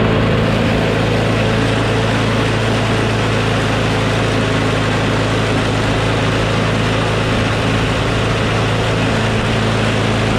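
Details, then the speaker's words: Craftsman push mower with a Briggs & Stratton Quantum engine, after a bail handle cable replacement and carburetor cleaning. Strong, steady single-cylinder drone with no surging or misses; slight vibration suggests a bent blade: normal running. "so okay that sounds much better now"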